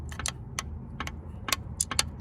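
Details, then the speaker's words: 1998 Subaru Legacy Outback with a knock returning after rod bearings were replaced, engine off and opened up: rod rocked by hand gives loose, irregular metallic clicks and clunks; excessive rod bearing clearance, engine considered toast. "this one wasn't knocking before well that doesn't sound good that doesn't sound good"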